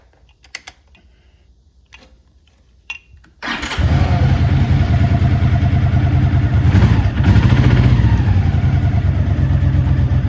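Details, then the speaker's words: 1983 Honda GL650 Silverwing Interstate, an Ohio barn find after a total restoration, cold start: the starter catches and it settles into a steady, even low burble with no knocks. A tight, rock-solid, healthy engine. "Nice, tight, rock solid engine. Plenty of power, doesn't leak or drop anything."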